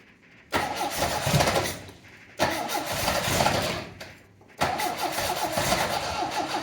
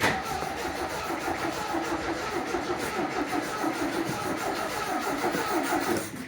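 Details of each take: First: 1980 MGB after clutch release fix and refuelling from empty: short cranks, engine catches twice and settles into rough but steady cold idle. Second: 1980 MGB: starter cranks the engine evenly for several seconds without firing; fuel gauge reads empty, and after adding fuel it starts.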